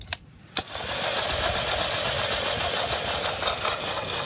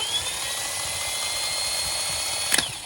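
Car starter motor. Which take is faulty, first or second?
first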